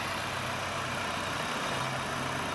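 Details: VW Polo TDI diesel before repair, with missing, no pickup, heavy smoke and an intake flap motor fault code; lumpy, uneven diesel idle, an engine misfire at idle.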